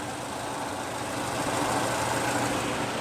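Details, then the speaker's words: Citroën C3 Aircross, about 130,000 km, engine noise and check-engine light (O2 sensor code), after a new accessory belt and cleaned pulleys: a smooth, even idle with no ticking, rattling or whine; normal idle. "e sem barulho ó somente o barulho do próprio funcionamento do motor"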